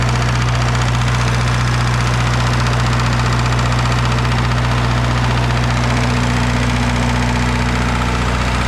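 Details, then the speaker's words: Red-D-Arc diesel welding machine at idle after a part that had come off was fixed: steady diesel drone with an even knock around three per second; owner suspects injector knock, unconfirmed. "it kind of sounds like we got a knock um it might be an injector knock but it I don't know"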